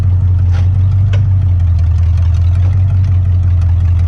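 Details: 1959 Ford Fairlane demolition derby car with 1987 Lincoln Town Car 5.0 302 EFI V8, started after sitting; deep, even burble at idle, steady level, no knocks or stumbles: normal idle.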